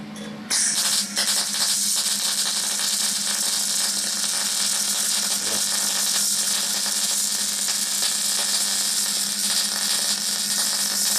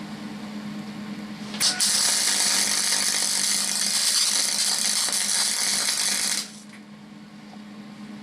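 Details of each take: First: MIG/MAG welding on sheet metal at medium power with the wire feed speed adjusted: an even, continuous hissing crackle over a faint steady hum, with no popping. A slight crackle indicates the correct wire feed speed. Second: MIG/MAG test weld on sheet steel deliberately made without argon shielding gas: a loud, irregular hissing crackle lasting about five seconds. The crackling is oxidation of the metal, leaving a blotchy, oxidized bead.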